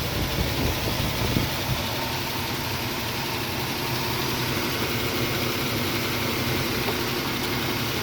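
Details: Nissan Xterra idling: steady idle with an uneven, stumbling beat and irregular dropped pulses, consistent with a misfire.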